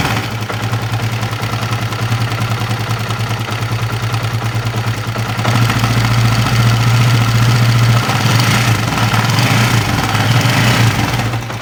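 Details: Honda CB150R at idle with a coarse, uneven rattle over the beat; rough clattering engine noise seeming to come from the upper left of the engine, cause not yet confirmed.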